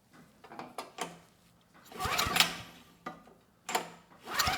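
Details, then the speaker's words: Early-mid 1980s Fairbanks Ward 2500 W generator, 5 HP Kawasaki FA210D flathead, old fuel left in tank, ignition on, starting fluid tried: short cranking bursts with pauses, no firing stroke; cranks but won't start, spark later found strong. "Nothing. We got nothing from the engine, so I'm going to double check the spark real quick."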